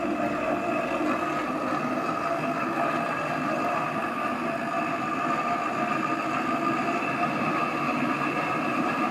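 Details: AEG Öko Lavamat 4100 washing machine on a 1000 rpm spin: loud, steady jet-engine roaring hum with a droning tone, swelling near the end; worn drum bearings.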